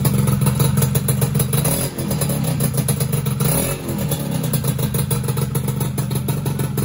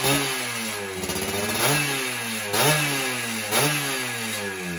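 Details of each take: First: Two-stroke motorcycle first start after rebuild with small CDI: uneven clattering idle, ragged irregular beat, hesitant revs; main/pilot jet suspected too small, improved after needle adjustment; rough running. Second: Rebuilt two-stroke motorcycle, carburetor setting apparently dialed in, tested stationary before a road test: crisp idle with several quick throttle blips that rise and settle back cleanly; normal running.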